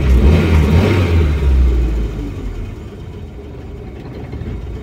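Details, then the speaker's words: 1989 Ford Pampa CHT after carburetor kit replacement, running about five minutes: brief rev then drops back to calm, even idle with no hunting or stumbling; formerly unstable idle now stable. "ó tô tirando o pé acelerando para vocês ver que agora ele tá alinhadinho"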